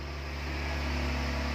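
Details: 2015 Dodge Ram after fixing a no-crank, no-start, no-power fault: starts and idles with a smooth steady low hum, even in pitch and volume, no knocks or misses; check engine, ABS and traction lights remain on.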